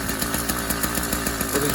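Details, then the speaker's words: Newly installed YD100 two-stroke engine kit on a Kent Bayside Cruiser bicycle, first cold start on a cold day, on full then half choke, about a minute of running in its life: a rapid, even crackling beat of about eight pops a second. Normal running. "fired right up made the full choking at the beginning because it is a cold day here"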